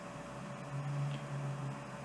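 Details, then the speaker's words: Newly installed Chinese diesel heater in a garage, first real start after fuel pump priming, with the glow plug on and the fan running: steady low fan hum that swells slightly, with no knocks or rattles. Normal startup. "So the red light indicates that the glow plug is on. We've got the fan going obviously, and I can feel the fan down here."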